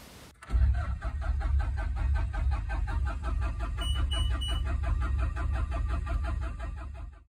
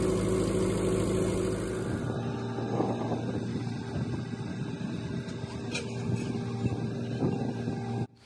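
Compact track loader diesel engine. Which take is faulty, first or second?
first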